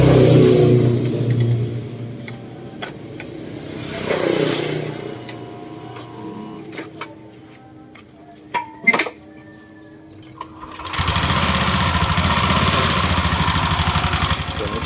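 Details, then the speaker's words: Honda Click 125i scooter after water pump replacement for coolant leaking into the engine (milky oil), refilled with coolant and started to check for leaks: after handling noises, an even, steady putter with no knock or rattle; normal idle. "แล้วก็มาลองสตาร์ทเครื่องนะครับคราวนี้มาดูรอยรั่วนะครับว่ามันจะรั่วหรือเปล่านะครับ"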